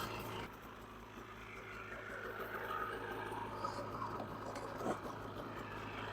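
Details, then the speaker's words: 2015 Polaris Pro S 800 HO snowmobile, bought thought seized, with the belt now back on. Warming up on the trailer with a quiet, steady, even two-stroke idle and no knocks or rattles. "But there she goes. She sounds good. And the belt's back on there now."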